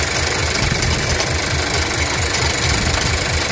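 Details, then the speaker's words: 2018 Skoda Octavia 1.5 TSI (about 110 kW), worst in the morning just after starting: idling with a loud, uneven metallic rattle pulsing three to four times a second, traced to the turbo wastegate linkage; dealer service had dismissed it as normal. "Silnik chodzi jak sieczkarnia momentami klient Słuchajcie był w serwisie został odesłany z kwitkiem Zresztą Posłuchajcie jak pracuje silnik"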